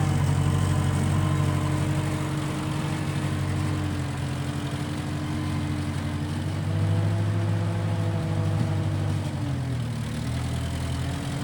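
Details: 1955 Massey Ferguson MF65 tractor, run after sitting a couple of years, carb cleaned; owner thinks the Marvel Schebler carburetor needs slight dialing in. Steady low engine beat, even firing, smooth consistent pitch throughout: normal running.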